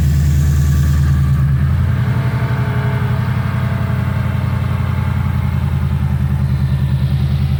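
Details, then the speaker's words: Lexus IS F V8 cold start after fitting an RR Racing air filter: deep, even burble, high cold idle settling slightly, steady pulses, no misses or knocks. Louder than before; healthy engine. "Cold start, guys. Cold start too. It's definitely louder than the other one too."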